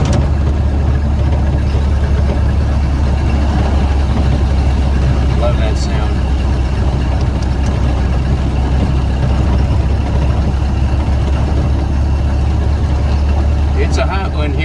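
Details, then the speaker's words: 1931 Ford Model A pickup four-cylinder cruising at 48 mph on a hot day, after misfire fix with old and borrowed distributor parts: low steady drone under road rumble, no stumble or miss; running smoothly, gauge later reads overheating. "how long do you want me to keep going that's good enough 48 mph it's running [Music] great I don't like going much faster than this"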